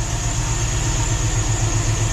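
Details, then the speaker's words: NBS Stepside truck after flashing a revised HP Tuners tune with a setting switched to none: a steady, even low idle with a regular pulse and no stumbles or surges, much smoother than the earlier choppy idle, while a squeaky belt remains. "listen how much listen how much smoother it's idling now"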